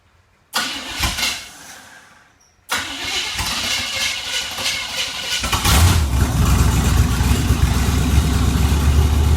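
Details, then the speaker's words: 350 small-block Chevy V8 swapped into a Suzuki Sidekick, idling cold to warm after coolant fill with an air bubble in the system: catches, stumbles, restarts, then lumpy uneven idle; rough idle, cause not confirmed. "right fullow a cooling we'll just let her idle till she say get a little warm uhoh trying to get a little choppy"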